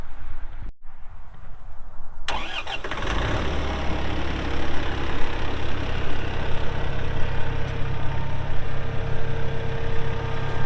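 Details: 2014 Massey Ferguson 1754 tractor, 53.6 hp diesel, only 173 hours, started after hood shut: starter cranks briefly, catches fast and settles to a steady, even low idle with no knocks or misses; healthy normal cold start.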